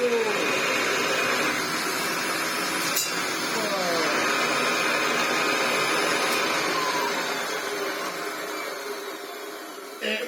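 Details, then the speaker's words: Antique Hoover 725 upright vacuum after restoration, bag fitted: steady, even motor drone with a constant airy hum and no knocks or rattles; it runs really well, better than it has for decades. "runs really really well"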